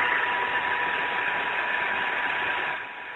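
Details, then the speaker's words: ZX45 mill after belt-drive conversion, spindle at about 8,100 RPM: smooth, steady high-pitched whir, fairly quiet with no rumble, chatter or squeal; a nickel balances on it, column base at 93°. "okay here's about 8,100 RPMs as you can hear it's fairly quiet pretty decent"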